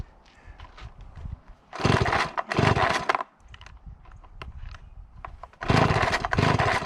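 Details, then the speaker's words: Small two-stroke chainsaw started once warm enough: strong rev bursts with idle between, picking up cleanly; runs okay, owner thinks it may need a slight spring adjustment; normal running. "tell it runs okay might need sounds like it needs a little bit of a spring adjustment"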